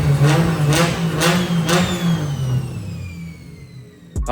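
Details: Toyota Cressida MX83 with a junkyard 2JZ swap and Haltech ECU, first start after setting ignition timing: sharp, clean free-rev blips about every half second that climb and fall quickly. The engine sounds healthy.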